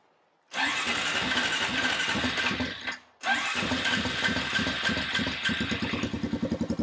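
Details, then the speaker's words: Honda TRX350 ATV after carburetor cleaning with missing part refitted, still won't rev: catches, stumbles and dies, then restarts to a ragged uneven putter; owner suspects too little back pressure for the carb slide to lift, or valves needing adjustment. "I think what's happening is there's not enough back pressure for this slide to lift up."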